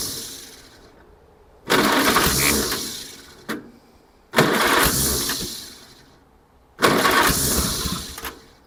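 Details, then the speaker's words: 1947 Farmall Cub tractor after swapping to the other distributor cap, half choke: three short bursts, each chugging about two seconds before dying; engine catches then dies, better result. "Well, jugged around. Well, it's chugging. It's a It's a better result."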